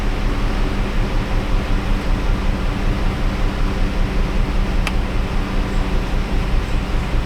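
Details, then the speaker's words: 2016 Dodge Caravan, low mileage, 3.6 Pentastar V6, warm idle in drive with code P0302: low, uneven rumble with a soft steady stumble, a low-contribution cylinder 2 misfire confirmed by scan tool; low compression suspected. "But it feels like a pretty steady low contribution miss. And we can see the scan tool agrees."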